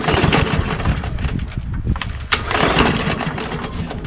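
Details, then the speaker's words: Craftsman M110 (MTD-built) push mower with a Briggs 550EX auto-choke engine, nearly new and oil clean, pull-cord cranking: rough chuffing compression but it never catches; choke flap closed, plug unchecked, owner suspects the carburetor or fuel not getting through. "It's clean, almost brand new, but it won't start."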